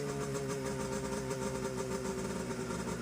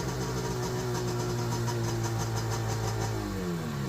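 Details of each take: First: Seadoo HX with 720 Rotax two-stroke, run out of water after fuel line, tank and carb work and fitting the missing driveshaft coupler dampener: even, steady buzz with no clanking; runs clean and strong. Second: Seadoo HX 720 Rotax jetski engine runs steadily with slight backfire from rust in the carbs, then clanks loosely as it shuts down; driveshaft coupler missing its dampener.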